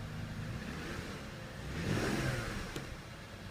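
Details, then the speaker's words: 2000 BMW 528i E39 after replacing the cylinder 2 ignition coil (cylinder 2 misfire, P0340 code): quiet smooth idle, then a clean rev climbing and settling back without stumbling or misfire pops; fixed. "yeah I fixed it coil number two perfect"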